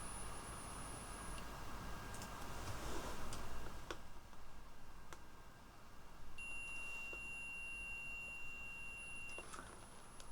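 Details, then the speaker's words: ESP32 programmed with ESP-IDF driving an intro buzzer: a thin high beep holds about three seconds instead of the intended one second; the buzzer stays on too long, cause not yet found. "and something goes wrong because now I keep hearing it and then it stops so you can quite quite clearly uh quite clearly hear it but it goes on for too long"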